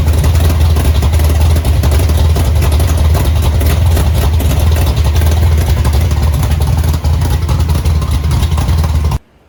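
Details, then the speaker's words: Chevy Nova V8 just after both carburetors were rebuilt (one found full of trash) and refitted; deep lumpy burble with a few throttle blips then clean shutoff, idling and pulling without misfire or knock. "okay so carburetors are rebuilt and they're back on the car and the car runs again"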